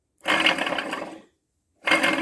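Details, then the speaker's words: Car wheel bearing removed and spun by hand: two bursts of rough, gravelly growl, bearing still tight with no play, loud enough to be barely tolerable while driving; worn wheel bearing, inner set suspected. "So here's what this bearing sounds like. It sounds like there's some animal in there."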